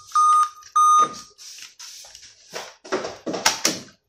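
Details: Dell i5 laptop with a continuous startup beep: two long, even high-pitched beeps at power-on, then handling noise. The same error remains. Finding: dead CMOS battery.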